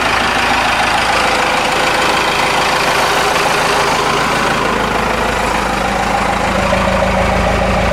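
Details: Cummins 4BT four-cylinder turbo diesel, about 71,000 miles, idling after fuel filter change and air filter wash: even clatter at constant pitch, no knocking or hunting; good oil pressure, normal idle.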